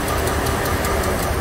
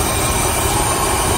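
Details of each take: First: 2004 Dodge Ram 1500 4.7 V8, running rough, oil a quart low and dirty, P0522: uneven idle with sharp tapping about five times a second from the right bank; cam follower dislodged from number 4 exhaust, likely collapsed lifter. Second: 2004 Dodge Ram 1500 4.7 V8 that misfired on cylinder 4 from a cam follower spit out by a likely collapsed exhaust lifter. After reinstalling the follower temporarily, it idles steadily with no tick or miss and steady 16 inHg vacuum.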